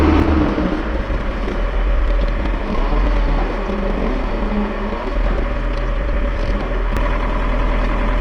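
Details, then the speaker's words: Van after driveshaft universal joint replacement, test drive: steady low road-and-engine rumble while cruising, quiet, no clunks, clicks or vibration from the driveshaft; repair successful. "Oh! You can't hear it, but it's really quiet. Maybe you can hear the engine's amplified noise a little, but it's definitely not that loud in here in the chaos, it's very quiet, eh? Anyway, it's quiet, very, very good."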